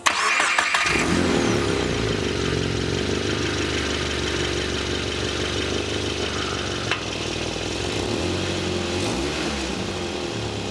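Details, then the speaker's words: Lowered VB Subaru WRX with new cat-back exhaust, resonator right after the cat-back torn open by a raised steel plate: engine catches, then a loud, raspy, blatting idle with a hissy edge from the exhaust leak. "so as you can see there's actually a big hole in the exhaust which is not great especially because I've only just got the car and just installed the catb back exhaust"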